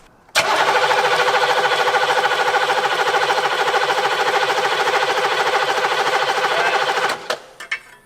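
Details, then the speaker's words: 1981 Buick Century 350 diesel, abandoned: steady cranking for about seven seconds without firing; too little fuel seen at the injector lines, plan to pull glow plugs to crank faster; crank no start. "Not seeing the amount of fuel I want to. Well, one thing we could do is take our glow plugs out to relieve all the pressure and get this thing really winging over."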